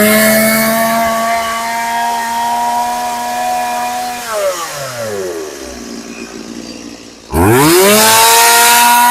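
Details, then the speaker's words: Stihl MS180C chainsaw after carburetor rebuild, previously hard to start, bogging and dying on its side: crisp high rev, clean drop to a steady idle, then snaps back up; revs and idles well, no adjustment needed. "All right, that sounds pretty good. Um, I'm going to sharpen the chain and stuff for this guy. But, uh, that's, uh, that sounds pretty good. It revs real good. I don't need to adjust anything. It idle idles well."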